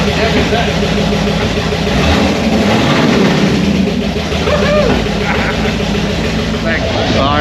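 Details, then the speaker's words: HT Holden with a swapped 253 V8 on its first start, open headers and no coolant, after an earlier rattly run with no oil pressure seen. A loud, steady, deep rumble with an even beat and no misses; running healthy. "She's all fired up. We've got no water in it, so I better not leave it run too long, but I reckon she might have a can."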